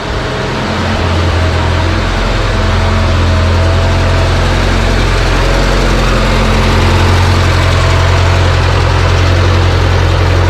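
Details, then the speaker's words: JLG 40G manlift, kill switch and switches bypassed: deep, steady low-pitched idle with even pulse, no knocks or misses; normal idle. "okay so platform or uh ground man this thing runs good"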